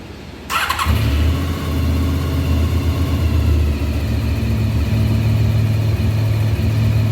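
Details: 1993 Honda VFR750F, first start in over a year after carb cleaning, air filter not yet fitted: fires up quickly and settles into a steady, even idle around 1200 rpm with no misses or knocks; sounds healthy.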